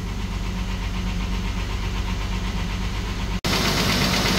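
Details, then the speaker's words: 1997 Ford Explorer XLT 4x4 running after fuel pump and filter replacement fixing a no-start: steady, even idle hum with smooth low rumble, no misses or stumbles; normal idle. "Running! Finally running! Oh my gosh!"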